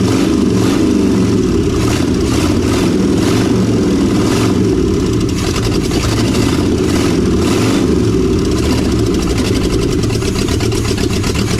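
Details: 1956 Chevy 3100 half-ton barn find with a 396 big block V8, first run after pickup: loud, even rumble with a few throttle blips. It pulls up and settles back without misfires or knocking and runs healthy.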